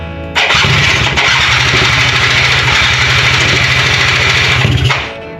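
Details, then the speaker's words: Quad with a new spark plug cranks at about three pulses a second but never catches; the fuel lines are completely dry, so it runs on starting fluid but not on the gas just added. "There is not a single drop of fuel in these freaking lines. That would explain why it will run off starting fluid but not run off the gas I just put in it."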